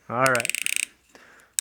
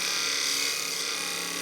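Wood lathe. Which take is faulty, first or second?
second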